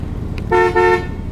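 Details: 1964 Chevrolet Corvette Sting Ray convertible with its original 327/300 and 4-speed manual. A clear two-tone horn sounds twice, steady and strong; the horn works.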